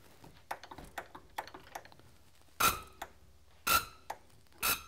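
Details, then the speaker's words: Cummins SAC injector nozzle (5×12 hole size) on a pop-test bench: three sharp, high-pitched bursts of very fast chatter about a second apart in a quiet room, which is normal SAC pop-test chatter. "can hear that kind of high-pitched that's a very fast chatter that it's doing"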